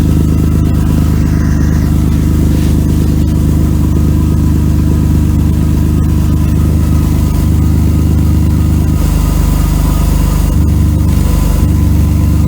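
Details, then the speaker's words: 1992 Mercedes W124 300E, low on fuel, just started at idle, before a temporary patch. Loud, deep, raspy lawnmower-like chuffing from a holed exhaust pipe section; the muffler and resonator are okay. Exhaust leak; needs a new pipe section. "So, this car's making a funny noise. Sounds kind of like a lawnmower, and I'm going to try to put a temporary patch on it."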